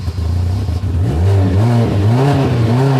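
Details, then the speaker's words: 2010 Hyundai Sonata 2.4 with intermittent no start and stalling when the throttle is touched, no codes, after fuel pump circuit diagnosis; fires up and revs up and down without dying or stumbling; normal start and rev. "You're going to start it and then put your foot on the gas and rev it because we couldn't do that before."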